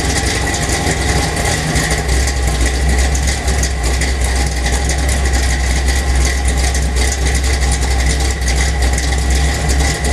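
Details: 1977 Chevy Silverado K10 with 406 small block V8 (Crane Energizer 302H cam, Holley 750 double pumper, Weiand intake, MSD billet distributor, Dynomax headers, Flowmaster exhaust) idling with a loping, uneven beat and heavy low rumble; rough idle, cause unclear.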